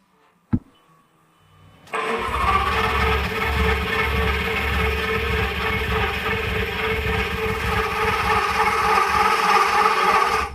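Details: Fire-damaged Lamborghini Gallardo LP520 under rebuild, first start attempt after refilling oil: steady rhythmic starter churning for about nine seconds, roughly three pulses a second, and the engine never catches or fires; cause not identified.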